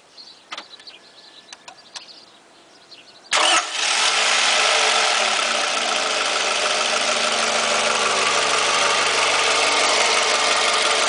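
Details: Toyota 2AZ-FE engine just started: fast, regular ticking knock about three per second over steady idle, heard near the starter; source not confirmed.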